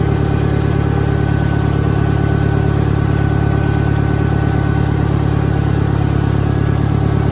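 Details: 1963 John Deere 1010, original and properly maintained, 1,000 rpm, first gear on a backyard lap, needs valve seals; steady low drone with an even gear hum, no knocks or grinding. Normal gear transmission noise.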